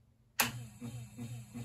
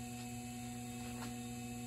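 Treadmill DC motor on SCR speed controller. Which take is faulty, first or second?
first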